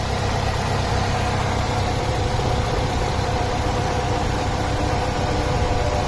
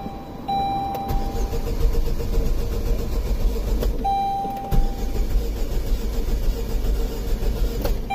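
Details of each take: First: 2005 Saturn Ion 2.2L 5-speed after crank-no-start (new clutch, suspected jumped timing), now started with 14 volts at battery: steady low idle with even beat, no knocks; running smoothly. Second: 2005 Saturn Ion 2.2L 5-speed, crank-no-start after a clutch replacement (said to have jumped timing); codes for BCM lost communication and MAP circuit; fuel pressure now present; starter cranks unevenly, some strokes lighter, never catching: uneven compression.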